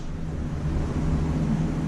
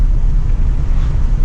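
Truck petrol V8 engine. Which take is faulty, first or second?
first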